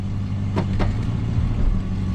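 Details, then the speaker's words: 1973 Dodge Dart Sport 318 V8, in gear at low idle then light throttle, after tracing the misfire to a leaking brake booster; smooth even rumble with no stumble or miss, carburetor still needs tweaking. "that is a nice smooth running 318."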